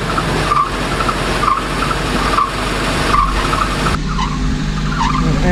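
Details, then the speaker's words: 2000 Nissan Frontier engine running with a bad accessory belt squeak: a sharp high chirp repeats about once a second, a belt slipping on its pulley. "can hear and have a really bad squeak to it so I need to figure out what's causing that sweet"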